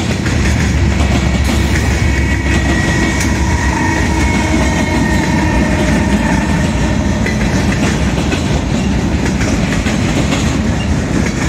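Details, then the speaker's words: Southbound CSX freight at South Beech Street crossing, Oxford, OH, picking up speed: deep steady rolling rumble with wheel clatter; onlookers suspect a bad spot in the track such as a rough rail joint, unconfirmed. "I'm wondering what's making that. There's like a bad spot in the track or something."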